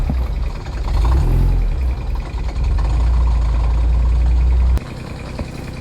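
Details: Porsche 944 that sat 20 years in a hedge, first run on a hot day: heavy, uneven low rumble with a rough mechanical edge, then an abrupt cutoff; something is very unhappy, cause unknown. Finding: abnormal engine noise at first start.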